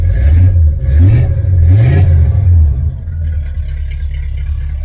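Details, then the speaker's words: 1977 Chevrolet Malibu Classic V8 after new headers, X-pipe race dual exhaust with one-chamber mufflers, new spark plugs and thick wires: deep even rumble climbing cleanly through three quick revs, settling to steady idle; healthy. "great so it doesn't sound as loud in the car sounds like loud like that but it's not as loud giving it some gas and I've Dru my chel around a bunch it's it's not bad same exhaust"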